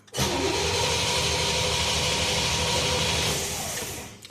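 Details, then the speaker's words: 1964 Pontiac Catalina, first start after a new ignition switch install: about four seconds of steady starter whirring with even pulses but no catch; it cranks without starting, then starts on the next try and runs rough, probably not at fast idle. "Well, my wires are connected, but the car didn't start."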